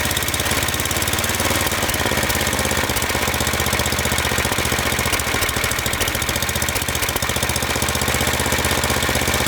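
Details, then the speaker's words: Snowblower single-cylinder engine after cleaning small carbon chunks from the intake and spraying fogging oil: previously surged and stalled at idle, now holds a steady, even idle with a fast regular putter, no surging or stalling. "You can already hear how much better it runs. That thing wouldn't even stay idle. Couldn't even idle it down before. Now it's not surging and it can idle down without stalling out."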